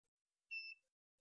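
One short high-pitched beep from a radio transmitter, its low-voltage warning because the supply is too weak.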